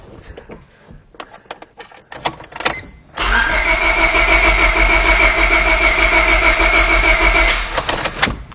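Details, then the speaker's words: 1999 Honda Civic, crank no start: steady, fast cranking with an uneven beat that never catches; no spark while cranking, and a compression issue is also apparent but is not the cause of the no-start. "That is no spark."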